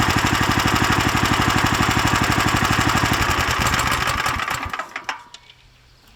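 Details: Lifan LF390QE Pro single-cylinder engine, newly fitted as a direct replacement on a flail mower, idling outdoors on a cold day: steady, even thumping at about three beats a second, no misses or knocks, then a clean shutdown; healthy idle.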